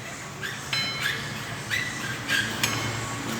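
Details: GM Astra/Vectra/Meriva suspension worked by hand: short irregular creaks, also felt in the hand, the creak heard over ditches and bumps; stabilizer link or bushing suspected.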